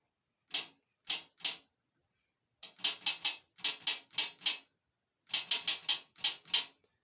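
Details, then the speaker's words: O9G transmission solenoid warmed in hot transmission oil to simulate in-car heat, about 6.4 ohms, switched from a battery. Crisp clicks in quick bursts of three to five, each snapping cleanly; normal solenoid actuation. "so you can hear it so that it's working"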